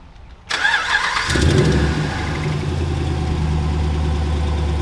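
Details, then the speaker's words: Ram 1500 5.7 Hemi V8, cold start: cranks and catches into rough idle with quick puffing ticking/knocking from an exhaust manifold leak caused by a stud broken clean in half; noise typically fades once warm. "as you can see the stud has broke clean in half and that is what happens on these rams and causes the ticking and knocking noise when you first start the truck when it's cold"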